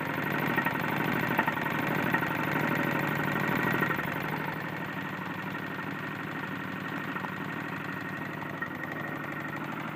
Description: My Tecumseh lawn mower has a serious connecting rod issue